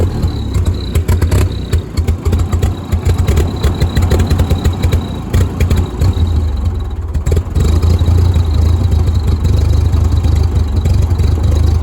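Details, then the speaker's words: Old Ford 2N tractor with bad spark plug wires, carburetor to be checked: on startup the engine stumbles and lopes unevenly, irregular surging firing, sounds awful; not drivable, then died and would not restart; cause unconfirmed. "I'm gonna go ahead and start it up here. There we go. Yeah, there it was. Nah, it sounds awful."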